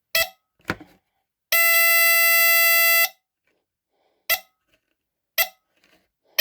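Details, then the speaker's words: Westclox Smoke Signal Travel Alarm from 1978 (Canadian, 9V battery): short chirps, then a steady shrill horn for about 1.5 seconds, the same sound as the bigger unit but quieter; normal test sound. "So it kind of sounds like the bigger one, but a lot quieter, as you can tell."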